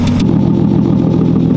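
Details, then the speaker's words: Nissan Laurel just after timing belt replacement, timing set way too advanced and still being adjusted: steady idle with a dull, even pulse, tone shifting slightly as timing moves; timing light possibly dying, timing unsettled. "guys can hear how it changes a little bit as they adjust the timing it's pretty cool"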